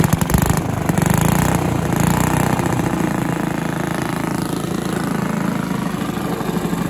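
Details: Villiers 10 petrol engine on an old Barford cement mixer, no choke, steady single-cylinder putt about three firings a second at constant throttle, no knocking or misfires; compression not excellent, fuel seems to run through with tap off; normal running.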